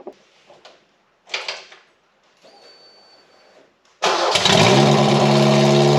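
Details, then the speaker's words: 1989 Ford Mustang Foxbody four-cylinder just after its fuel injectors were cleaned and rebuilt: it fires after some handling noise and holds a fast, loud, raw idle through the terrible original exhaust; idle is high. "it just uh started right right up drove it around sounds great or it doesn't sound great runs great but it sounds terrible"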